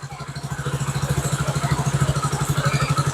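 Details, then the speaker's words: Cold start, engine oil temperature 36 per OBD scanner: quick, even, smooth putter at raised fast idle around 1500–1600 rpm; normal cold engine, rpm expected to drop as it warms. "अभी engine ठंडा है तो कितना RPM दिखा रहा है यहां पे? 15 1500 आरपीएम दिखा रहा है।"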